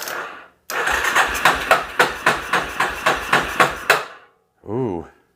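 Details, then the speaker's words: 1988 Yamaha Terrapro ATV on a weak jump box: slow, labored cranking with sharp, uneven knocks about four a second on opening the throttle, then it stops; suspected piston slap, not confirmed. "o the minute I hit the gas it made some weird noises the Piston SLA does not sound good"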